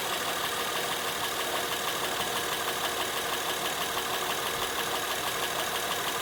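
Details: Honda Pilot 2 engine at steady idle, heard both hot and cold: a fairly regular knock about three per second over a smooth hum, a clear internal engine knock.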